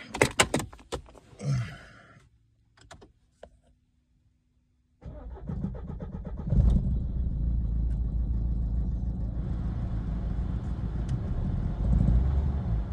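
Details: Renault Megane 1.5 dCi diesel after replacing faulty cylinder 3 injector with a used one and clearing fault codes: starter whirrs, engine catches, slightly uneven clatter then smooths; normal idle, running properly again.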